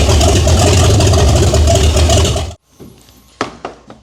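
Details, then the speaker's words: 1978 Chevy Nova, after sitting 21 years: very loud, lumpy idle pounding about four times a second and shaking the floor, open manifolds, then shut off; owner asks whether the cam is stock; no knock, tick or bang. "Okay, well, it smells bad in here, but it sounds so good. This thing is literally shaking the floor, and honestly, that was too easy."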